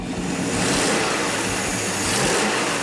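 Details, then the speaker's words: Freshly built 440-based 500 cubic inch big-block V8 in a custom 1951 Hudson Hornet, first start with everything new: revs up and settles to a strong even exhaust note, no knocks or ticks, a little exhaust leak; healthy running. "sounds good. Looks good, too. Sounds pretty good. A little bit of exhaust leak."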